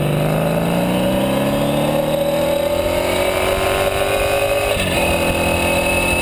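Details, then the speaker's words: Sabre cafe motorcycle with new exhaust, carb mixture adjusted after running too lean and hot: revs rise smoothly and drop cleanly, no popping or misfire; slight exhaust drone, resonance around 5,000 and maybe 9,000 rpm; runs well. "not bad so not too bad uh runs pretty well it's got a resonance about 5,000 RPMs maybe one about 9"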